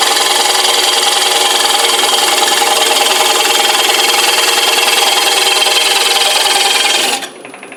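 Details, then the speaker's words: Parting tool cutting rings from hard maple board on a lathe for an economy bowl; constant high scraping hiss with slight pulsing chatter then stopping, tool labouring in the deep cut, tool rest height may need adjusting. "You're going to hear it struggling just a little bit. I may wind up having to adjust my tool rest height just a little bit."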